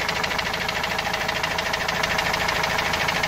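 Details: Opel Vivaro 2.5 diesel van, noise began suddenly while driving loaded, sat two to three weeks: sharp hammer-like knock about three per second, steady over the idle; source unknown.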